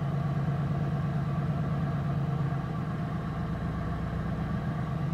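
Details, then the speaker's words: 1988 Ford LTD Crown Victoria, cold start in garage: low rough idle with uneven beat that wavers, slight stumble; owner noticed miss/hesitation before when cold, unsure if cold-related or new problem, letting it warm up; cold idle stumble. "yeah you can kind of hear it stumble a little bit"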